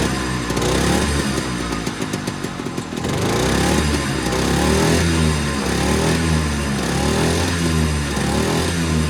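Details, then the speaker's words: Unnamed machine from a set of off-road projects, hard to start after sitting about a month, fired with ether then ran as if it hadn't needed it: quick even putter, revs rising and settling without misses; normal running. "I don't know how to explain it, but whatever. It runs pretty good."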